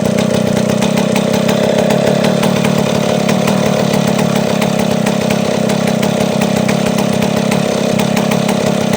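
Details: Chainsaw, two-stroke, after cleaning a blocked carburetor, idle not yet readjusted; smooth, even buzz at one steady speed with no surging or stalling; idle now lower than the previous high idle; normal idle.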